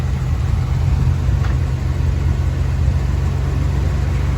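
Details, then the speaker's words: Original, unmolested 1979 Chrysler 300C, original 360 V8, automatic, documented 57k miles: low, even V8 rumble at idle with a steady beat and no ticks, misses or rattles; runs perfectly. "I'll start it up now. It runs perfectly. It drives perfectly."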